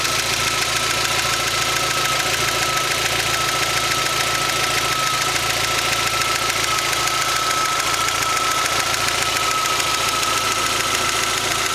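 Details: Rover MG ZR 1.4 16V petrol engine at hot idle: fast, steady "tatatata" tapping over a thin whine near 1.3 kHz; fine when cold, stops about 1 minute after AC is switched on and returns about 1 minute after it is switched off.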